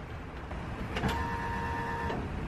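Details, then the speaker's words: Ford Bronco with a no-start after dying: once the inconsistent fuel pump connector was cleaned with electronics cleaner, key-on gives a steady whirring hum for about a second, then stops. Normal fuel pump prime. "that noise that's the noise we want to hear"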